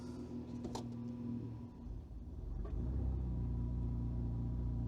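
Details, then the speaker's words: Car with automatic on an ECU Master Classic ECU, idling about 800 rpm by ECU, coolant possibly a little cold: idle sags and stumbles for a second as gear is selected, then recovers to about 600 rpm. "See how it dipped really low and then it picked itself up. Now, it it's idling at 600, which is not bad."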